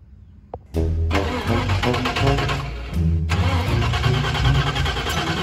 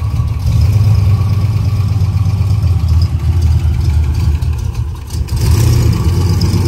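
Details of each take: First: Turbo 331 small-block Ford Foxbody Mustang with the battery relocated to the rear: a few seconds of quick, uneven cranking before it finally catches and runs rough and loud; slow to start. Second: Turbo 331 small-block Ford Foxbody Mustang just after starting: deep, loud V8 idle with a few uneven throttle blips, settling into a steady low rumble; it idled well once started; normal idle.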